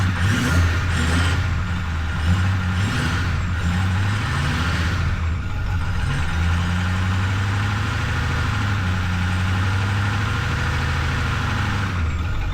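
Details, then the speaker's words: Ford 6.4-liter diesel truck, run briefly after an oil and fuel filter change to get oil through the filter (air possibly in the fuel system): it fires up with a low, steady clatter and settles into an even, healthy idle. No knocks or misses. "Now, very last thing, just run it for a second, get the oil up through the filter and everything, and then I can check the oil level and see if it needs any more at all."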